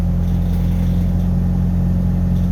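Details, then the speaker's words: Pickup truck that idled rough with MAP sensor and EGR codes, just started after reconnecting the MAP sensor to the correct port: steady, even low hum with no misses or surging; smooth idle, no code yet. "because it just started up and it's running smooth if if that was just from me having it plugged into the wrong port then i might just leave well enough alone now"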